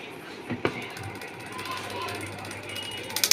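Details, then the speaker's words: Blower-type room heater running and heating: steady fan hum with intermittent bursts of sharp ticks near the fan; loose part striking the fan blades. "यह देखिए guys यह चल रहा मगर आवाज कर रहा है यह देखिए गाइस कुछ अंदर इसमें पंखी के साइड में कुछ किसी चीज की आवाज आ रही है"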